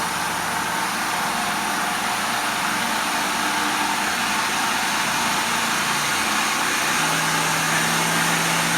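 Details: Shopsmith Mark V woodworking machine after tune-up and restoration with a new motor, running on a low speed setting: steady, even motor hum with no knocks, rattles or wavering; running healthy and smooth.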